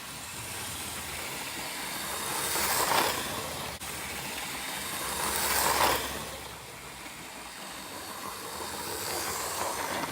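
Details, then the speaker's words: Roughly 40-year-old Hornby Class 37 model locomotive on a test oval after lubricating the flywheel, previously squealing: soft whirr swelling and fading each lap, smooth and even with no squeal; running quietly. "So as you can no doubt hear, the locomotive now is very quiet. It's so much better."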